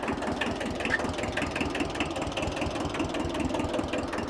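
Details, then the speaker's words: Free 1974 Kubota tractor old two-cylinder diesel running with an irregular sharp crackling clatter over the idle beat. The owner says it is starting to make cracking noises (he is worried about the steering gearbox). Cause unclear. "Yeah, it's starting to make cracking noises and stuff."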